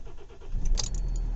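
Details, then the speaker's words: Kia Ceed/Hyundai i30 CRDi diesel, cold engine at 12°C, slow starting, just after fuel filter replacement: brief crank before catching into steady rumble, within a couple of turns; possibly air in the system. "it didn't start immediately there but it started definitely within a couple of turns I would guess"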